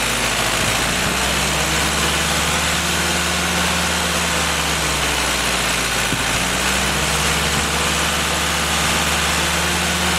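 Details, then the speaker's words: Freshly rebuilt Willys F-134 F-head engine on a stand, first start for break-in, fired right up: smooth, even low idle holding a steady note, cooling fan whooshing in background; runs cleanly, normal idle. "okay guys fired right up I took a second to set the timing 5° before top deed Center"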